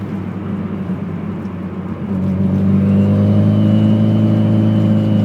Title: Whining noise boost SR20